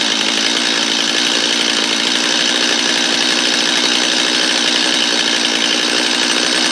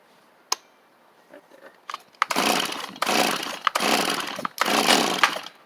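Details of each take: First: Free Stihl 250 chainsaw: holds a steady high buzzing run, then blips up and down cleanly a few times; sounds healthy and responsive. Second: Free Stihl chainsaw: quiet pulls, then three rasping bursts that catch and die; it nearly runs but won't stay running, owner suspects it is flooded; it later starts with half choke and throttle.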